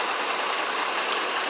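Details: 2002 GMC Envoy 4.2 that had a hard cylinder 2 misfire at idle, after swapping coils: short burst of steady engine-bay hiss and hum, no stumbles; scan tool shows no current or history misfires; idle even and healthy.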